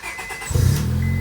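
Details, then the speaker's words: 2001–05 Honda Civic just after ignition switch replacement: brief starter whir, engine catches within half a second and settles into a smooth, even idle; starts right up with no issues. "Boom. Starts right up. No issues."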